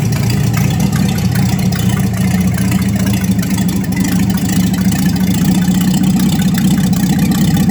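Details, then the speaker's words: 1954 Chevy 3100 truck with later-model 235 six, dual carbs, new short-shaft water pump, old gas still in tank: smooth steady low idle rumble, even beat, no misses, knocks or ticks; sounds real good. "sounds good sounds real good actually um definitely need to burn that old gas out of there"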